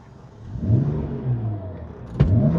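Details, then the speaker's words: BMW E60 535xi on its first test drive with a just-installed used replacement engine and upgrades aimed at 600 hp, heard from inside the car with the windows up. Revs climb cleanly with a rising note and a short turbo whoosh, no knocks or flat spots; healthy acceleration. "You could hear the turbo noises, but you can't hear it so loud in the car cuz we got the windows up."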